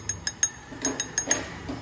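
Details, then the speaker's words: Mexican-built Ford New Fiesta: light, irregular tinny metallic taps, about seven in two seconds, like a little can knocking; a loose small plate inside the upper steering column is suspected as the source. "fazendo um barulhinho de uma latinha batendo, ó. A latinha, ó. Tá bem assim, a zoadinha."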